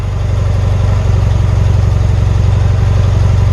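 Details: 1977 BMW R100S twin, warm restart after about 15 minutes off, choke still on: steady low thudding idle with slightly uneven pulses, holding speed but not quite smooth. The owner feels a small throttle turn could make it die. Rough idle.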